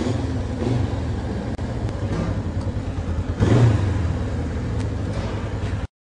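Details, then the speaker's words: 1965 Honda CB450 twin, slightly warmed, choke off, started on first kick; burbles steadily, picks up cleanly on a throttle blip and settles back: normal running and revving. "not bad there you have it 1965 honda 450 let's uh she definitely sounds like a honda"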